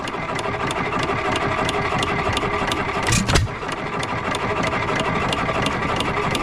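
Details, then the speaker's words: Economy 3 HP stationary engine, possibly from 1923, bought at auction, first run: light regular ticks about three a second over a soft chuff with one brief bump, smoking slightly. No connecting-rod knock heard, though the owner is unsure. "so she's running she's smoking a little bit I don't hear the connecting rod"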